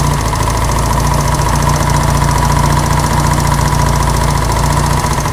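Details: Honda CB200 vintage twin with aftermarket carburetors after slides set via the handlebar cable adjuster: loud, steady beat with no misses or popping, sounds way better. Owner then suspects something still off on one cylinder. Normal running.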